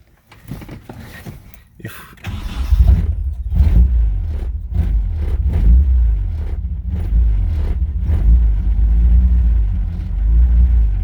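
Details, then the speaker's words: Nissan 240SX after fuel line replacement and idle air control valve adjustment: catches after a couple of seconds into a low, lumpy idle that sounds ready to die; idle still set too low. "as we can see it's idling now but it's very low we need to still adjust it"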